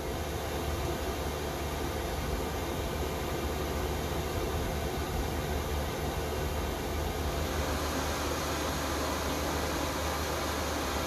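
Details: Chinese 5 kW diesel heater in a Goldstream camper, at temperature, outlet around 155–260 degrees: steady even rushing roar with low hum and fuel pump ticking, no surging or popping; burning cleanly, quieter once warm.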